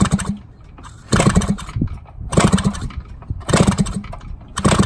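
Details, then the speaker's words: 1970 Yamaha HT-1 90cc two-stroke, freed-up engine kicked over with spark plug loosely fitted to raise compression; four separate kicks, each a quick run of firm, even thumps without wheezing, good compression. "So it should kind of sound thumpier. Yeah, there we go. That's good compression. Awesome."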